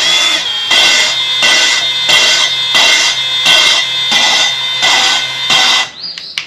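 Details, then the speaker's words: Kawasaki FX850V head rebuild: a new intake valve is spun on its seat by a drill chucked on the stem, giving gritty grinding in short bursts, about one and a half per second, lifting off the seat and kept slow. Normal valve lapping. "if you listen you hear the kind of the grinding sound and I'm on it off the seat and we don't want to go too fast"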